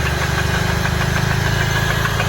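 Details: Nissan Silvia S14 with SR20 on E85, tuning unfinished: steady idle with a fast, even ticking knock at the top end after a short drive; oil was then found leaking from the valve cover above the injectors, engine damage feared.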